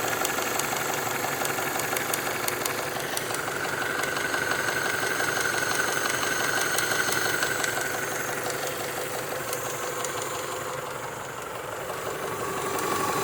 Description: 1996 Honda prelude si 2.3l dohv h23a1 top end ticking sound